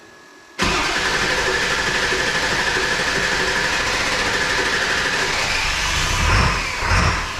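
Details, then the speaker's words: 2002 7.3 Powerstroke diesel, unrefined tune (HP Tuners), glow plugs cycled, about 60°F: silence, then it catches abruptly and settles into an even, slightly rough cold idle. Starts well after a long crank. "but hey it ain't starting too bad yesterday since I have not I haven't got anywhere near refining this tune yet like man does it get a nice Loop when you fire up on those cold starts I love it sounds good"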